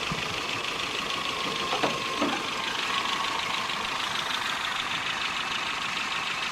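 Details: 1984 Nissan N12 1.5GL after carburetor repair, vacuum advance hose and spark plug replacement: light, fast irregular ticking over a steady idle hum; owner says valves need adjustment. Valve train ticking at idle.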